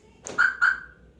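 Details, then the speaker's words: 2016 Toyota Avanza alarm unlocking: two short, clean, identical high chirps, the normal unlock signal; only the lock sound is odd, after a service in which the hood sensor was dislodged. "Tapi kalau ngebuka normal."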